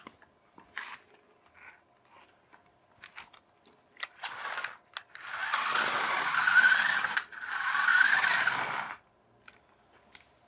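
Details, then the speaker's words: RC-converted Equestria Girls push-along toy car on a 2S battery, 27 MHz receiver: two rough, gritty whirring grinds as the motor spins up, 3D-printed replacement pinion gear slipping and jamming in the gearbox. "but is that 3d 3d printed gear playing up is jamming that's what it is I can hear it"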